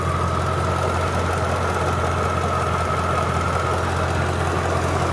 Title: jaguar S-type R funny tapping noise